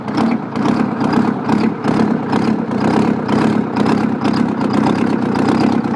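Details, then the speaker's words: Old Detroit 8V71 two-stroke V8 diesel at idle with rocker cover off, spraying a little oil; loud rough idle with busy valvetrain clatter about two beats a second; even at idle it's loud. "Even at idle it's loud."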